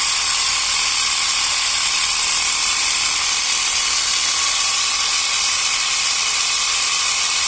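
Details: Portable 12 V piston tyre pump inflating a tyre toward 3 bar, cylinder hot, motor probably warm; fast, even rattling buzz with no stalls or knocks — normal operation.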